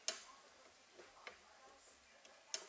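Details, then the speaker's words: Honda K20-swapped sedan with an Innovative shift linkage: sharp, dry creaks and clicks with each shifter movement. Owner suspects worn solid linkage bushings and plans to replace the linkage with a B16 unit. "here though here you can hear is creaking and that's that I think that's because of the the bushing on the the shift linkage so it's is a full solid bushing"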